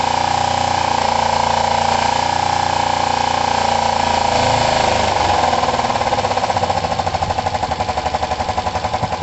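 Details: Kawasaki ER-5 parallel-twin motorcycle, timing and valve clearance work, on stand: uneven, lumpy chuffing with a stumbling beat getting choppier, running rough; owner suspects one cylinder not firing, checks both cylinders' heat.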